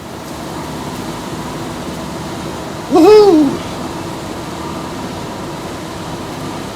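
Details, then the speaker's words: Shop furnace blower after removing the motor from the squirrel cage, which had vibrated from stuck paint, and reassembling: steady even air rush and smooth hum, no rubbing or rattle; normal. "better than it ever has yep sounds good all right let's fire the furnace up see what happens"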